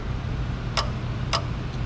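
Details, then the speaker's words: LS-swapped Cadillac Escalade AC compressor bench-tested with power tapped to it, first time in about three years, heard over a fan: two sharp metallic clicks over a low hum as the clutch engages; normal. "works I don't if you can hear it over the fan he's down there better when this gets power clutch engages"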